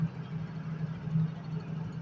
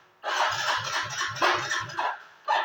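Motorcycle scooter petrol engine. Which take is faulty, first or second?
second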